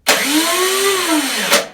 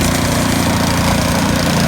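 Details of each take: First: YardWorks 22-inch 179cc snow thrower, long unused, after carburetor float bowl work and priming: the electric starter whirs freely, rising then falling in pitch with no compression pulses, not engaging the engine; the starter has been a recurring issue. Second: What a beautiful snow stream.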